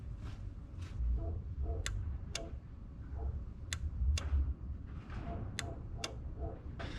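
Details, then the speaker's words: Radiator fan relay from an all-motor LSV EF Civic hatch, tested on the bench: crisp, sharp, positive single clicks each time it is energised. The previous relay did not click and the fan was not working; normal relay click. "so you should have heard it click there that's perfect the other one was not doing that"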